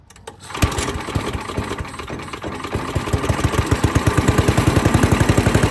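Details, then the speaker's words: 8 hp Tecumseh engine on a pavement roller after replacing the varnished carburetor with a new aftermarket one: fires and settles into even chugs near four per second, steadying; normal start and idle. "I personally am very pleased with how well that runs."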